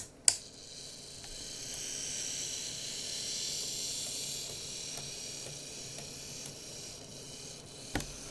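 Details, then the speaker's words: Graham Farish Class 44 N-gauge locomotive (later split-chassis) on a test track: a thin motor whir with faint regular clicks, about two per second. The motor is fine; a split gear on an axle is suspected. "the problem is that clicking i believe is going to be a split on one of the gears on one of the axles"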